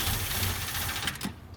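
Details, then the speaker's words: 1967 Ford Mustang convertible V8, first start after 29 years parked: ragged idle fades and stalls after about 1.25 seconds; starved of fuel, no knock from the motor, fuel pump suspected. "see like that yeah it's just not getting gas i think we need a i think we need a fuel pump"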